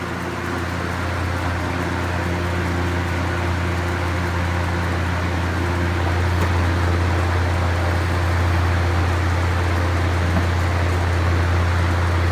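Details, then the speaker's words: Vintage GE box fan on high windmilling: steady low hum with a faint rhythmic flutter, about three to four beats a second; unexplained noise, possibly the table shaking, source unclear. "He's making some noise. I'm not sure what the noise is. If it's the table shaking or what. Sounds like Rusty Bob."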